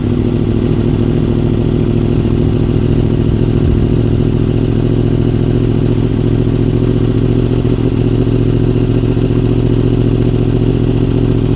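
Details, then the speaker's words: 2015 Yamaha R1M, 9,210 miles, largely unridden since 2019, first start after about five years of storage before restoration: steady, even idle with smooth low drone, no knocks or rattles, described as pretty quiet; normal idle. "Pretty quiet. Yeah."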